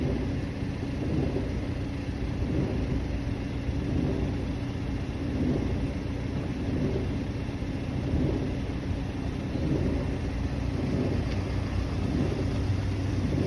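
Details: 2017 BMW 330e (F30) plug-in hybrid, 66,000 km engine, on cold start, especially in winter: a low, steady rumble with a soft swelling roar or wave of vibration every second and a half or so. It disappears once the oil warms or after a short drive. Cause unknown.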